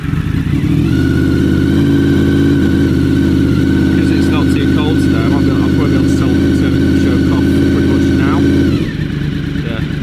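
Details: Bike cold-started on full choke: smooth, even burble that holds steady with no misses or knocks, then shuts off; a healthy idle.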